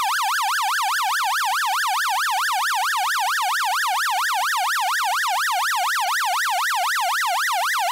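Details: Clean warbling tone sweeping up and down about three times a second around one kilohertz, steady and even, from a 6A/12860 stall warning tone generator (early 1970s, Avro Shackleton), recorded by direct connection after teardown and reverse-engineering; unit works properly.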